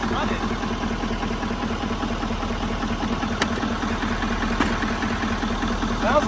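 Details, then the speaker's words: Wrecked L5P Duramax diesel started on a jump box: uneven, lumpy idle of roughly two and a half beats per second. It runs rough, possibly because it isn't making boost; cause unconfirmed. "little rough. Yeah. That might not sound good. Give it a little rev and see."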